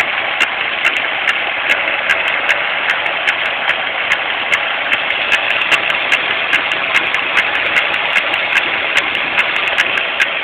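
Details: 2001 Pontiac Grand Am GT, steady idle with a sharp, regular click about two or three times a second riding on top, constant whenever running; cause unknown.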